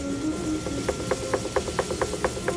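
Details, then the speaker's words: Potter's wheel while centering clay for a wine goblet: steady light clicking, about four ticks a second, over the wheel hum; the bat is chattering on the wheel head. "you can hear my bat chattering a little bit here on the wheel"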